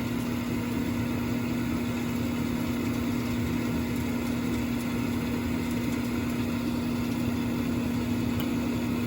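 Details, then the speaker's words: Carrier Infinity gas furnace during a no-heat diagnosis: after the safety switch is pressed, the inducer motor runs with a smooth, steady mid-pitch hum and no rattle, confirming the 3 A board fuse is fine; normal inducer operation. The fault was later found to be the igniter. "But when you hit that safety switch and you start hearing things happening and that inducer motor comes on, nothing's wrong with that fuse."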